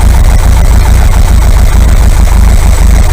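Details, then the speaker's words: Air-cooled VW 2-litre flat-four bus engine, top-end rebuilt, 2,000 km since; warm, after carb balance and mixture tune, revs dropping back to idle; judged okay for holiday. Steady, even, low regular beat with no knocks or misses. Normal idle. "I don't think we're going to get much better than that. So I'm going to say this engine is okay, ready to go on holiday."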